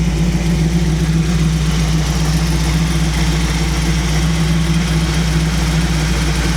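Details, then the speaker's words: 1937 Buick street rod with a new BluePrint 350 crate engine in break-in, choke off, off-choke idle raised: a steady low rumble at about 900 rpm with a soft lope; the idle mixture is a touch rich, later adjusted. "What's that idle now? On 900, it's a touch fat."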